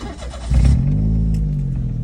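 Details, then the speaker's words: Car that would not start due to a damaged, high-resistance battery terminal, battery reading over 12 V: brief brisk crank, then the engine catches cleanly and settles into a smooth, even idle, voltage dropping to 11 during cranking. "Alhamdulillah. Drop boy kat 11. Alhamdulillah settle."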